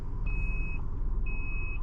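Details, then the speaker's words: Maruti WagonR CNG taxi, GPS tracker panic button triggered with no customer aboard, recorded from head-mounted camera in cabin: high steady beep about half a second long, repeating once a second over cabin rumble; emergency SOS alarm won't stop. "എന്നിട്ട് ഇങ്ങനെ emergency beep sound മാത്രമേ ഉള്ളൂ ഇടാ."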